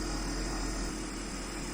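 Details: Used Sharp inverter 1 PK air conditioner, compressor at full mode drawing about 3.8 A: steady, even hum with a constant low tone, no knocking or rattle, stable speed; normal running.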